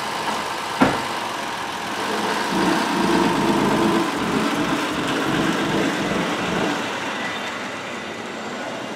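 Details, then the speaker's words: 2007 Honda Odyssey 3.5 V6 towed in with no power, won't come off idle: throttle opens but engine only huffs without picking up revs; suspected plugged exhaust or timing way off. "you hear the throttle opening you hear a little hoofing going on under the hood that's it uh my gut which is getting bigger by the day tells me plugged exhaust or timing is way off is what i'm thinking"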